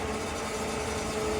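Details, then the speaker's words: Electric transfer pump filling the truck's tank: steady drone with a faint thin tone over it; the owner suspects the supply tank is running out of fuel. "I wonder if I'm low on fuel in the tank it sounds like the Tank's running out"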